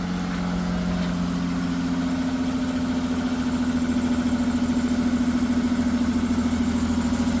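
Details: Ford V6 idling with a steady hum and a light regular tick about three to four a second from noisy hydraulic valve lifters, fixed with RVS oil additive over 4 days.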